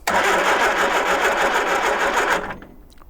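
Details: 1978 Triumph Spitfire 1500, sat unrun for years, after fitting a new starter solenoid, triggered by a remote starter: starter spins the engine briskly and evenly for about two seconds then drops off cleanly; healthy cranking.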